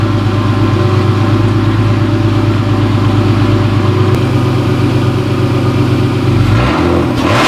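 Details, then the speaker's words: BMW straight six, turbo, just after an M50 intake manifold swap, not fully cold: a firm, steady idle with an even low pulse and no hiss or hunting, then a brief dip at the end. Vacuum is perfect and no leak is heard; not yet tested under boost. "So it runs, Vacuum pressure is perfect. It's actually even a little bit better on startup."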